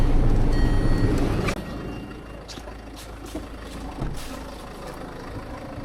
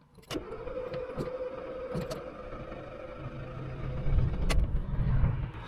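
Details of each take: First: Car after a radiator replacement, running while the cooling system is bled, blowers on max with no AC: a steady, low, even idle under the blower roar. No misses or knocks; normal idle. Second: Diesel with a DPF warning light on, being restarted after pipe and coolant flange replacement: long cranking with starter whine, uneven rumbling that fails to catch, then heavy smoke as excess fuel burns off; flooded engine hard start.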